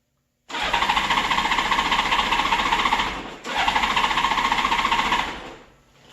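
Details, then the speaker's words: Honda GL1800 Goldwing, a crashed bike that ran fine before a conversion. The starter cranks steadily in two bursts but the engine won't catch. There is no spark and no fuel pump pressure. The fix involved the tip-over switch. "it won't start and i thought oh no did i pinch a wire when i had the coil pack off and i checked pulled the side cover off the engine here the valve cover and uh checked for spark there's no spark"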